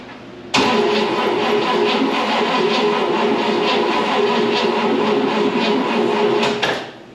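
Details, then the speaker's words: 1960 Pontiac Bonneville with AFB carb, start attempt on a weak battery with jumper cables: about six seconds of steady starter churning that never catches; fuel pump working and spark present, owner suspects timing or flooding. "uh-oh it kicked over once i don't have much battery to play with here well the pump's working all right jumper cables it did kick over so that's a good signal"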